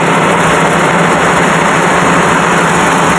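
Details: Car engine with no power, running on 3 cylinders: rough, uneven idle shakes harder with a second plug lead pulled. Two-cylinder misfire test.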